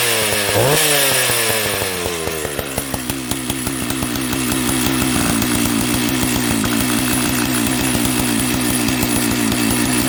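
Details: Jonsered 930 project chainsaw restarted at high idle, with a suspected loose spark plug connection: catches and keeps running with a fast, steady crackle of exhaust pulses settling into a reasonably even idle.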